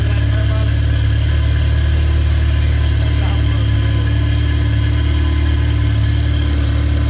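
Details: Salvaged car rebuilt as a custom kit car, idling with exhaust just fitted: deep, steady, even engine drone with a low throb and no knocks or squeals; running smoothly, though its boost sensor is reported bad.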